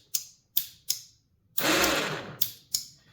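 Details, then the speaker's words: Badland ATV winch that only spools out, solenoid removed and bench-tested: sharp dry solenoid and switch clicks with no motor hum; motor works, so solenoid judged defective, suspected broken internal contact; switch may have taken in rainwater. "now you can hear the switch working you couldn't hear the Solen before only when I apply power down"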